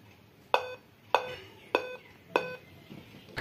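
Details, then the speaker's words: Dell laptop at power-on with no display: four sharp beeps about 0.6 s apart, a startup beep code. It still beeps with the keyboard removed, so the keyboard is not the cause; the CMOS cell is to be tried next. "अभी भी इसमें इस तरह की sound ए रही है इसका मतलब कीबोर्ड का इशू नहीं था"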